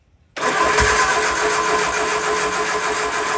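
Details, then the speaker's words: Triumph Spitfire with freshly rebuilt engine on first start: steady cranking with occasional uneven attempts to fire that never catch, spark seen only intermittently; cranks but won't start, ignition timing suspected slightly too advanced or off. "It's trying, but it's acting more like the timing's off a little bit. Like it's a little too advanced or a little That's probably why we weren't getting anything."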